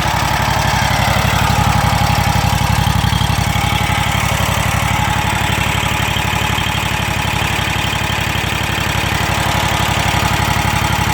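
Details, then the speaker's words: Kubota Z726X zero-turn, Kawasaki FX801V V-twin, 400 hours, right after a cold start at idle. A busy, steady chatter about three times a second over the idle thump, more noticeable at idle or low speed. Owner suspects solid-lifter valvetrain clatter; unconfirmed. "it just sounds like an awful lot of chatter but let's give her a quick rub so to me it almost sounds more noticeable at idle or low speed"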